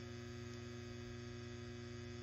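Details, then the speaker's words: ART Pro Channel II tube preamp: steady low mains buzz from the power supply when line voltage is raised to about 122.5 V, worse at 124 V; it is quiet at 118 V. "but wanted to actually show that it is actually a function of the incoming voltage and again if I bring this back up to about 122 and a half I get a little bit of Buzz"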